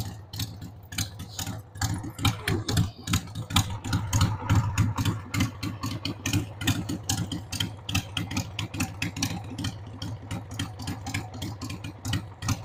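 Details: 1993 Harley-Davidson Sportster 883 Evo V-twin, sat about 15 years, running on a dead battery after starting fluid: loping idle with uneven, stumbling beats about once a second over a low rumble; rough idle, owner says the carb needs cleaning.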